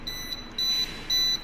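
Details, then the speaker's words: MCC panel testing, section with 17 motors switched to auto then manual: shrill high-pitched beeps pulsing about twice a second from the panel buzzer/siren, signalling motor no. 6's overload already tripped; overload trip alarm. "ఆ indicator trip అయింది కదా, చూసారు కదా. మనకి buzzer sound వినిపిస్తుందా మీకు?"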